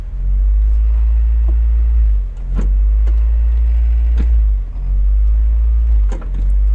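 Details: 1996 Mazda Miata, fully hot, in neutral with foot on brake: idle rises and sags every second and a half, hunting repeatedly; idle surge while braking, owner suspects faulty idle air control valve after brake booster and vacuum-leak checks, not confirmed.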